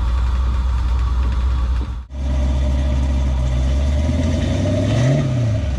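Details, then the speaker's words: 1950 GMC 'Pigpen' on S15 chassis, LS7 V8 with Holley Terminator X, after replacing a 2.5-bar MAP sensor, now runs beyond 3 seconds: deep steady idle, one brief dip and light rev; normal idle, warming to self-tune. "but it definitely runs better runs longer than 3 seconds I figured the map sensor was the issue"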